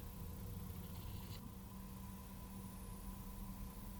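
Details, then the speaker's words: Enermax Revolution SFX 550W power supply in an open-air system at idle, before fan replacement: steady low hum with thin whining as the fan repeatedly spins up then slows to zero RPM every few seconds: PSU fan cycling whine. "Every few seconds there's a cycling whining noise, which is a sound of the fan spinning up and then slowing back down again to zero RPM. Then this cycle just repeats."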